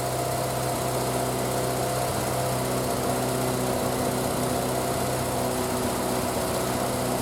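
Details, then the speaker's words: Triumph Spitfire, start after single-carb conversion and fuel line work, cold, full choke, in neutral: steady, even fast idle with a smooth drone and no misses or knocks; healthy. "And then we'll give it a tickle over and see if she wants to start for us. Right. Full choke. Make sure we're in neutral."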